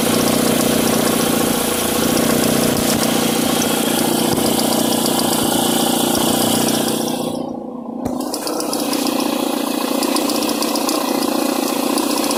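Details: Mitsubishi ASX with noise on acceleration: a rough fluttering rattle from the accessory belt area as revs rise and fall. The cause is a worn alternator overrunning clutch pulley letting the belt vibrate; the fix is replacing the pulley.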